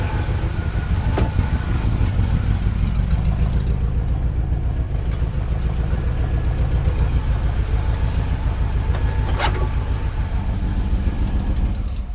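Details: 1969 GMC truck, small-block V8 with a used alternator charging over 13 V: steady idle with a faint thin whine from an overtightened alternator belt loading the alternator, before it is loosened.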